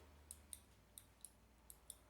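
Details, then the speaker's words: Dyson cylinder vacuum (DC05/DC08/DC11-type) on/off switch, removed and worked by hand; six crisp clicks in just over two seconds with contacts snapping cleanly; later confirmed good by a continuity test. "you listen carefully you can hear it clicking that's a good sign anyway"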